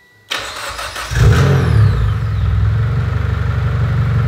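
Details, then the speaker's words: Evo X with a brand-new engine, running after over 2 years, the starter relay jumped to start it: a quick crank, then it catches and settles into a steady, even low idle with no misses or knocks. Oil pressure and AFR look good; slight smoke, possibly coolant. "but it is idling good and it sounds good"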